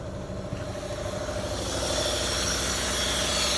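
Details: 2011 Renault Sandero 1.6 with misfires, low idle and power loss, after new fuel pump, spark plugs, MAP sensor and throttle position sensor: idle with an uneven pulsing throb and a building hiss; shaking milder but power still lacking, rough idle, cause unfound.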